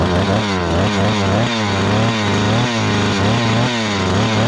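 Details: Rebuilt Husqvarna 288XP chainsaw (new cylinder, piston, swapped crankcase), high-speed screw adjustment having no effect: screams high and hunts in quick surges, running very lean, risking cylinder scoring.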